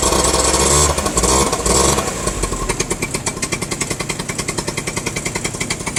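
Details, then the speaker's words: Two-stroke scooter, idle normally surging between about 1,000 and 2,000 rpm: after revving, the idle hangs high with fast regular popping before slowly creeping back down; idle hang, cause undetermined. "See, then it'll kind of idle high for a minute after I rev it up, or like, say I was riding down the road and I went through my full rev range, came to a stop. It'll sit kind of high for like a second here."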